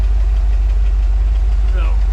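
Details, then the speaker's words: 1988 Chevy C30 wrecker at idle, about 10 minutes after start and still warming up in cold weather: lumpy, stumbling exhaust beat with one cylinder dropping out, a dead miss, plus slight surging; the cylinder is not yet identified. "starting to hear what sounds like a slight misfire at idle but a little surgery too we can address that later though has the stalled uh battery is charging that dead Miss on the cylinder if you guys can hear that"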